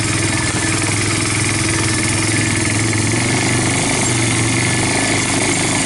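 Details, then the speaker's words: Yamaha Bear Tracker 250 (YTM250) shaft-drive ATV with new carburetor and intake, riding a trail in second gear on its first ride; steady, even single-cylinder drone under wind noise, no knocks, rattles or misses, owner hears no bad noises, normal running under load. "so anyway obviously this thing is running sounds good I don't have any any bad noises"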